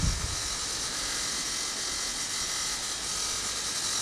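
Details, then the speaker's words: Cheap garden water pump gives a steady high buzzing hum with a constant dry metallic rattle; the owner suspects a couple of failed pump bearings and may need a new pump. "The other thing is, and you can hear the rattling down there, I think they've got a couple of bearings that are failed on the pump. It's not sounding too good."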